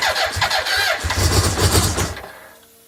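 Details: BMW K100: starter churns in quick rhythmic bursts for about two seconds, engine never catches, then goes quiet; crank no start.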